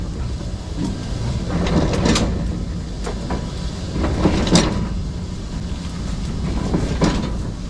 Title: Страшный СТУК колёсной пары вагона! Причины появления наваров и ползунов!